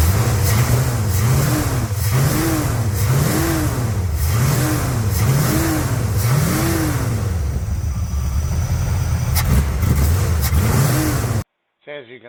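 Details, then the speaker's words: Pontiac 350 V8 in a Le Mans with 750 carburetor (28 accelerator pump squirter fitted, choke removed): snap throttle blips bog and hesitate, stumbling if hit too hard; timing, advance and rockers checked good, so carburetor suspected. "see there if you hit the throttle too hard it just stumbles"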